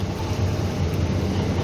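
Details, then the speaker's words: Kia K9 with A/C on: quiet inside apart from airflow, but a loud steady low drone from the front left of the engine bay when heard from outside; source unidentified. "에어컨을 지금 켜보면 은 실내에서 는 못 바람 소리 말고는 굉장히 조용해요 근데 7회에서 들어오면은 벤치 왼쪽에서 굉장히 큰 소리가 납니다"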